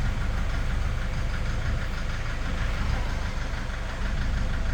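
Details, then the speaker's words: Toyota Vigo 3.0 diesel after rail sensor and SCV replacement: heavy uneven knocking and shaking at idle, about three knocks a second; faulty injectors, cylinder 3 delivering unevenly, scan shows injection below spec. "แต่ปัญหาที่เจอตอนนี้คือเครื่องยนต์มีเสียงเขกแล้วสั่น"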